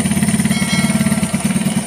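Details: Steady, even putter at idle with quick regular firing pulses and no misses on a stock Yamaha Vega Air New fitted with a CPO PE24 carburetor, adjusted only on idle and air screws; engine idles smoothly.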